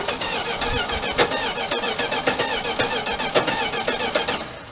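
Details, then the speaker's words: 1979 Dodge D100 Adventurer pickup, first crank with no fuel in the carburetor: the starter turns the engine at a steady pace with even compression pulses of about 220 a minute and none missing. Normal cranking with good compression. "You know what? It actually sounds like it has compression too, guys."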